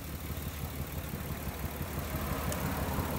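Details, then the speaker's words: 1994-1999 Nissan Maxima at a low, lumpy idle of about three pulses a second with occasional stumbles. Pulling that coil pack changes nothing, pulling another makes it much worse. Misfire from a failed ignition coil pack. "You take this off and it runs the same. Okay, now if I take another one off, see, it runs a lot different. It runs a lot worse."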